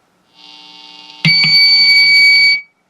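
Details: Newly wired blue build electric guitar with amp volume up: sudden loud steady high-pitched squeal for over a second, then cut off; feedback from volume set too high.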